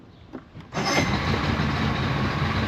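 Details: Johnson Evinrude outboard on pontoon boat after replacing ignition switch and rectifier, choke pushed; short crank catches almost at once into steady even idle, no misses or knocks, normal start and idle.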